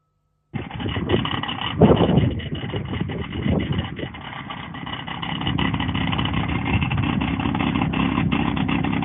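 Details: BMW F-series (e.g. N55) idling with a loud exhaust and a busy, uneven metallic rattle over the engine drone; exhaust flap rattle, not loose tailpipes, fixed by fitting a new clip between the flap and its actuator.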